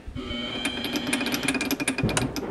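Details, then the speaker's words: Homemade chuck stop on a spinning lathe chuck: steady motor hum with fast, uneven metallic ticking as the stop rattles and wobbles slightly; the owner suspects the part wasn't straight to begin with. "that's this thing. Making a noise. Scared me. Yeah, it's wobbling a little bit."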